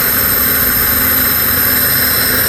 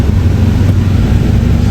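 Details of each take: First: Honda Civic LXi with automatic transmission, idle being adjusted at the throttle butterfly stop after running high: steady idle hum settling to a slightly different even note, smooth without hunting or stalling; normal idle. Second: Honda Civic LXi automatic: the idle drops further when the lights are switched on, to roughly 400 rpm. The loud low drone sags noticeably. The owner had fitted a different idle air control valve, and the faulty IACV lets the idle fall under electrical load.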